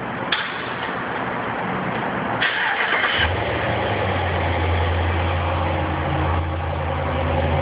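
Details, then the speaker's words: New Dodge Ram cranked in a parking garage: several seconds of uneven starter cranking before it catches and settles into steady idle; hard start, cause unclear. "I'll move the camera out closer for you guys so you can hear it. Those are me turning the engine over."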